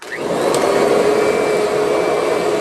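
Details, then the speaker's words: Curbside-found Kirby Sentria vacuum, outer bag worn out. Smooth steady high motor whine, no rattle or grinding; self-propel quiet, runs and cleans fine. "Self-propel works good, no noise. LED works. So, I mean, it sounds good, runs good, and performs as a vacuum just fine."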